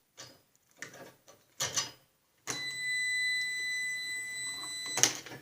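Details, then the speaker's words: Snapper RER rear-engine rider mower deck safety switch tested with a meter clipped to nails in its connectors: steady continuity tone with clicks. The normally open switch is pressed closed with the deck in neutral, which is normal. "I turn the meter on, you'll hear it buzzing. That's because the switch is depressed when it's in, the deck is in neutral."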